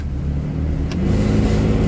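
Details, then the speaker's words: 2004 Chevy Express 3500 Roadtrek Popular 190 camper van, about 15 years old: deep heavy rumble from under the vehicle as the engine revs, strongest in low notes; rumbling fault, cause not found. "mine's kind of got a rumbling sound to it, so that's another thing I got to fix."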